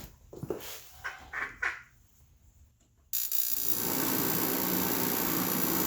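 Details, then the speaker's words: Craftsman 60,000 BTU forced-air propane heater running in a garage: a few light clicks, then a sudden, extremely loud, steady, unbroken roar from the burner and fan. The heater is running normally. "One thing that you'll notice is it's extremely loud."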